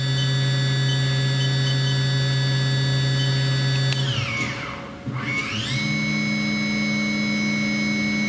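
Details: Haas VF3 CNC vertical machining center, solid spindle, warmed up after spindle drive repair, stepping through speeds around 8,000 rpm; clean steady whine dipping and climbing to a higher even pitch, no grinding; normal spindle running.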